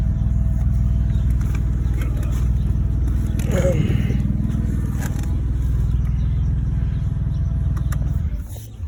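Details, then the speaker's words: 2011 BMW 328i after ignition coil change and battery disconnect: deep low idle pulsing about four times a second, uneven and lumpy; rough idle persists, owner suspects solenoids, cause not confirmed. "Still giving me that rough idle."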